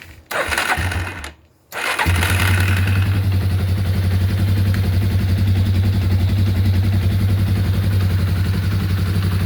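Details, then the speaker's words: 1987 or 1988 Yamaha Warrior 350 single-cylinder ATV after restoration (had compression, dead battery, broken tie rod): cranks briefly, catches on the next try, settles into a steady, even thump at idle; sounds healthy, normal start and idle. "Sounds really good. Super happy with this one."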